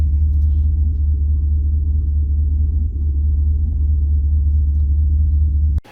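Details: Turbo LS V8 truck, stock cam, HP Tuners tune from stock file, at operating temperature after idle adjustments: deep steady rumble, even beat, no misses or hunting, smooth normal idle.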